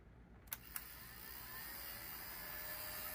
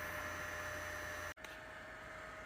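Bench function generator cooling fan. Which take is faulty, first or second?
first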